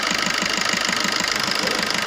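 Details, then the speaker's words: Maruti new Swift diesel idle after servicing knocking injector no. 1, cleaning fuel tank and replacing diesel filter: steady even beat, no knock, engine vibrations gone; smooth normal diesel idle. "जब हमने इसका सर्विस कराया 1 number injector का, इसकी problem sort out हो गई। देख सकते हैं। और जो इंजन में वाइब्रेशंस थी वो भी गायब। देख सकते हैं बिल्कुल एकदम स्मूथ।"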